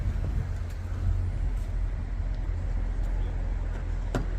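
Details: Jaguar XK on a winter road trip after bearing repair: smooth low road rumble at steady speed with no rising drone or hum; wheel bearing noise gone.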